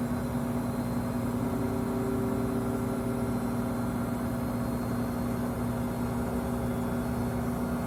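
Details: Five-month-old Samsung 2023 WW25B6900AW/A2 front-load washer buzzing since the first month at about 70 dB, louder when draining with no water left; steady buzz tone over a low motor drone, no rhythm or change, cause unknown.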